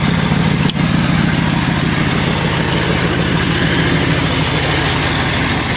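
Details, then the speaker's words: 1978 Ford LTD just started at about -10°F after two days of trying, jump-started from a Buick: fast, unsteady idle with an uneven rhythm, cold engine stumbling as it warms. "definitely a cold start I'm glad I finally got it going now Gore is going to be so pissed oh well suppose we can take the jumper cables off and uh let this thing warm up a bit"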